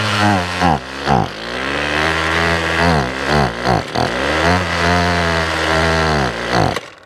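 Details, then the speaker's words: 6-year-old Ryobi two-stroke weed whip on half choke after long storage, gas cap leaking fuel: revs up and sags repeatedly, won't stay running; owner suspects carburetor, spark plug or pickup tube. "Yeah, it doesn't want to run. Let's go half choke seat."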